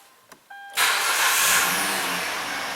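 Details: Kia Rondo 2.7 V6 after fuel delivery repair for extended crank/hard start: short chime, engine catches within a moment and settles into steady idle; normal quick start.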